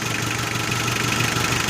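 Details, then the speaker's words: 4D56 diesel, warmed to operating temperature, with the fuel pump enrichment screw turned clockwise a little to add diesel: steady clatter at a slightly high, even idle of about 680–690 rpm; the extra fuel has raised the revs. "Okay, so if you have noticed that I've just turned it a little bit, and the RPM of the engine is already increased."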